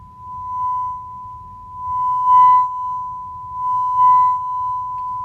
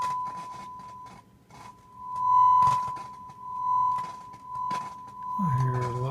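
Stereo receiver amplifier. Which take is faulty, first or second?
second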